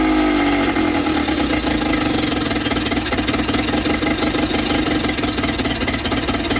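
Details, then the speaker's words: Sea King 6 VWB19074A two-stroke outboard after fuel system work, starting with one pull, smoking and likely running too rich: small two-stroke buzzing at steady idle with an uneven knocking beat; rough running, cause not pinned down. ">> It feels a little weird, smoking for sure. Don't know why. It did start with one pull. That's a lot of pulling glass gas, so I guess that was too rich."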